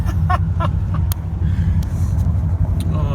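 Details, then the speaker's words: 1997 Dodge Ram 1500 at idle, smoking: heavy, uneven lumpy stumbling rumble, running on about one cylinder; rough running misfire, owner suspects timing chain jumped a tooth. "I think maybe the timing chain jumped a tooth or something running really rough and uh smoking"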